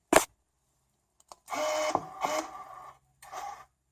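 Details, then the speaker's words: Racal 543 (TUAAM) automatic antenna tuner for Clansman PRC 351/352 VHF, tuning into a dummy load; sharp click then a few short whirring bursts of the tuning motor stopping cleanly; normal tuning cycle. "and we aren't you so as you can see the device is working device is working very well"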